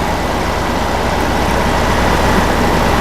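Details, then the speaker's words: Goldstar 12,000 BTU window air conditioner (about 2004–2005) after fan motor replacement for bad bearings, with a rubbing piece trimmed. Steady even hum, smooth rush of air, no scraping or ticking; normal running. "yeah everything seems to be fine hope it lasts"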